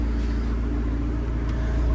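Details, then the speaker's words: Crash-damaged Italian sports car bought sight unseen from salvage auction, idling low on fuel with a warning light on; a deep, even rumble with no misses, ticks or knocks, a smooth healthy idle that sounds quite nice. "probably can't hear it very well on the camera but it does actually sound quite [Music] nice"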